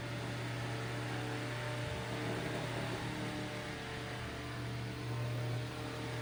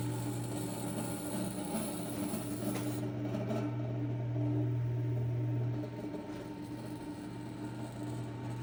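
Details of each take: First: Eskimo 1005/1005R desk fan (McGraw-Edison, 55 W, 105-120 V AC), after repair: steady low motor hum with even airflow rush, no ticking, rubbing or wobble; normal running. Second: McGraw-Edison Eskimo 1005/1005R 55 W, 105–120 V fan, thrift-store find, running after front bearing oiled: low mains hum with buzzy edge swelling as it spins up, spin-up not great; loose front badge buzzing, needs correcting.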